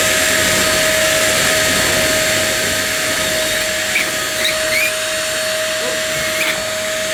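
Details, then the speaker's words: One Concept Pila bagless vacuum cleaner, new out of the box: steady piercing high squeal rides constantly over the motor's rush while running; squeaking badly during operation. "what that noise was it it was squeaking something chronic"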